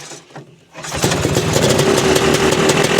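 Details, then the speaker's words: Vintage two-stroke snowmobile with a rebuilt carburetor, at a fall shakedown: quiet cranking, then it catches under a second in and settles into a crisp, steady idle; runs well, normal start and idle. "there it comes well that runs mint all right we got two sads running"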